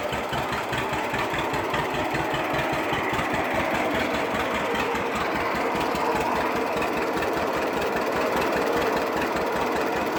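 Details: 1946 John Deere BO Lindeman crawler engine: low, slow, steady chug with no knock or miss standing out; running sound.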